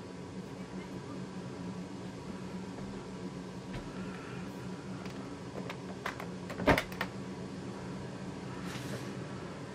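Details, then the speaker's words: Used replacement oil burner, swapped in for an approximately 15-year-old unit with failing bearings, running with a steady low hum and fan rush plus a couple of brief clicks; some air possibly still in the fuel hoses, quieter than the old unit. "I don't hear that much noise from this unit, so I guess it's a little bit better now."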